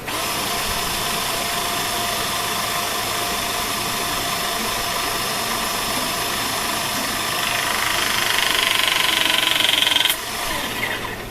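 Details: Pinchen HL-400B cordless hydraulic crimping tool after oil-leak repair and reassembly, pressure retest crimping brushes; steady motor whine climbing as pressure builds, then clean release click and wind-down; crimp cycle normal.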